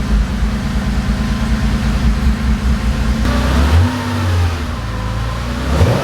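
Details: Porsche 911 2.8 RSR build, first start in several weeks on a new tune with revised cold-start settings: the engine catches into a steady, even idle with a couple of light blips; a smooth cold start without heavy smoke.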